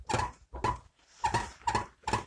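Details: Renault Logan door pressed by hand: five short creaky squeaks, about two a second, from the door lock striker, rattling on gravel and rough roads after a summer on bad roads; door lock striker squeak, fixed later with homemade bushings.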